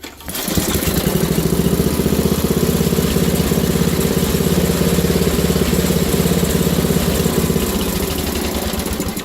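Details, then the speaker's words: Wheel Horse GT2500 small single-cylinder engine restarted during a build; chugging at about two and a half beats a second, slightly uneven and loping, running a little off; owner suspects a stuck carburetor float. "I'm not sure as you can hear it's running a little off so I might have to rip the carburetor off"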